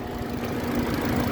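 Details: 2011 Ford Fiesta 1.6 Sport automatic, 1600 cc four-cylinder, front-wheel drive, about 81,000 km: smooth, even idle rumble with a steady, constant rhythm and no ticking or knocking; engine sounds healthy.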